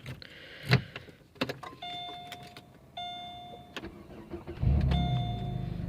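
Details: Car in snowy winter that had a no-crank fault, starting after the cooling fan fuse was swapped in for a blown fuse. A few clicks and dash chimes, then the starter catches and the engine settles into an even idle; clean start.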